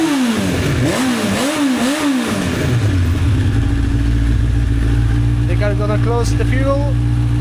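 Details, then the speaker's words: 1985 Honda CB1100F four stored about 20 years, after carb clean and fresh fuel, air filter refitted: a few clean revs up and down, then a steady, even idle with no misfire; much better with filter in. "With the air filter in, it's much better."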